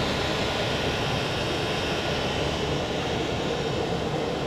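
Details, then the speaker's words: 2 kW Chinese diesel air heater (Eberspächer copy) at full output, drawing about 2 A, mostly for the fan: steady even roar of fan and burner with no surging, knocking or pulsing, measured at 67 dB, about the same as the bigger heater; normal running. "so the heat is running very well the sound [Music] at 67 decibels [Music] which is about the same as the bigger hater"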